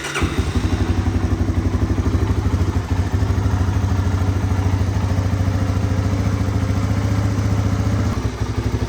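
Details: 1985 Honda ATC250ES Big Red single-cylinder trike, model known for a cold-start issue and a choke slide that creeps back: even, steady thump with no misses or stumbles over nine seconds; running smoothly.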